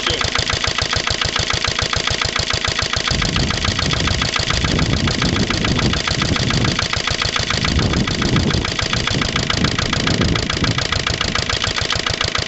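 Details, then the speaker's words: Lister LD1 single-cylinder diesel on a chilly morning of about 5–6°, after a fuel filter change and bleeding: a slow, uneven, lumpy, hunting thump. Runs rough and can be nearly stalled; owner suspects an air lock in the fuel lines from missed bleeding. "next really just isn't right it yeah s is right not quite sure what need to be done now"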